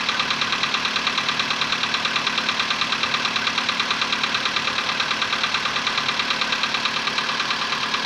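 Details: VW Polo Sedan, CFNA petrol engine, 105,000 km, before decarbonizing: cold start at 20°C after ~15 hours parked; sharp even metallic tapping about three per second over idle right after starting; cold engine knock that fades within a minute.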